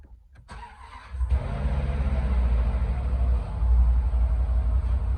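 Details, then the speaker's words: 2010 Land Rover LR4 5.0 V8 right after swapping TCM and valve body from a 2012 LR4 for code P0915 (ZF 6HP28), codes cleared; brief crank, smooth even rumble, no chain or timing noise, no warning lights; healthy start. "Holy cow. No check engine light, no transmission. Sounds good. Yeah, it does. No chain noise. No. No timing noise."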